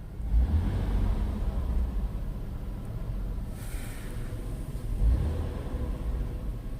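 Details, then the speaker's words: 2000 Ford Taurus, 145,000 miles, heard from inside the cabin with windows up after fixing a broken motor mount: only a low, smooth engine rumble rising and falling with throttle, no knock or dash rattle; normal revving, noise gone. "all right now I'll give it some gas hear how quiet it is now"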